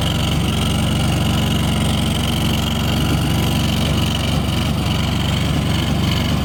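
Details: 1998 Yazoo YTKC22 three-wheel mower, cold, full choke, air cleaner fitted, gas possibly bad: small single-cylinder engine holds a fairly steady chuffing idle, slightly uneven but running on its own; lacks power to engage blades.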